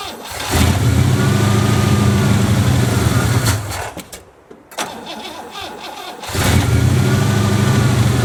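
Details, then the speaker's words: 1963 Oldsmobile 88 survivor, just bought: engine cranks and catches, runs rough about three seconds, dies, then fires again after gas poured down the carburetor; won't stay running, choke suspected faulty; muffler blown out. "so we're going to get for now it doesn't want to stay running figure that out see if it chokes or something choke's kind of messed up"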